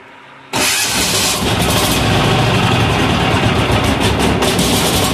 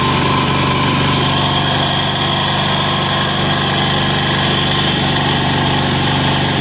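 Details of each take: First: Amazon 186FA diesel, still cold and smoking: fires up loud and clatters with an irregular, stumbling beat from air pockets in the fuel line. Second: Amazon 186FA single-cylinder diesel started on diesel, then running on filtered used synthetic motor oil and warm: loud, steady idle with an even beat and no stumbling or knocking; running smoothly and healthily.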